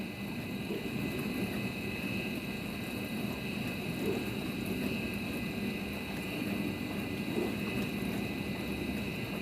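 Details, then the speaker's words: Midea dishwasher after repair (the wash motor had seized because the water was gone), final test on the 29-minute quick program. Steady wash hum with water swishing and no knocks, grinding or squeal; drain and fill work and the machine runs normally. "drain motor already start yes water taken to the machine only one minute came down thank you yes machine good start"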